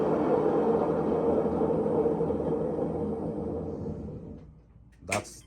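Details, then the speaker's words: Maytag washer in diagnostic spin cycle test: loud gritty rumble with steady hum during spin, fading as the drum slows; tub bearing is shot, confirmed by play when rocking the drum top. "that's hundred percent the bearing the bearing is shot on it"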